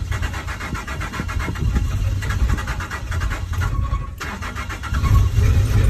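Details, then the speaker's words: Truck started after fitting new compression fittings; it struggles to catch, then runs with an uneven, lumpy low note, stumbling and misfiring, with smoke coming out the back; cause not yet clear. "that sounds so ugly oh and there's smoke coming out the back of the truck"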